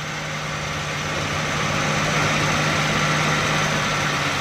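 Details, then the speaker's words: Suzuki Ravi in reverse gear at idle: steady low growl and rough grinding hum, noise also in first and second gear; suspected broken bearing or other broken part inside the gearbox, to be opened for checking. "ये देखें दोस्तों, बहुत ही आवाज़ दे रही है। ये इसके गियर में कोई अंदर बैरिंग टूटा हुआ है या इसमें कोई चीज़ टूटी हुई है।"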